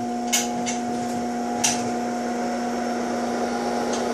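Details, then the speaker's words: Repaired Fatboy 1x2 amplifier's newly built variable voltage regulator turning the cooling fan back up after it was turned down to off: a steady, clean motor hum with an even tone and no scrape. Regulator working properly. Normal fan running. "that is a true variable voltage regulator for a fan that is the proper way to do variable voltage for a f"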